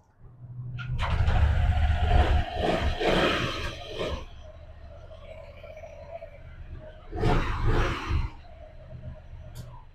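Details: Honda ADV160 scooter, started after CVT reassembly (belt loose at first, tightens once running): engine catches, roars up briefly, settles to an even idle, then one short throttle blip; normal running.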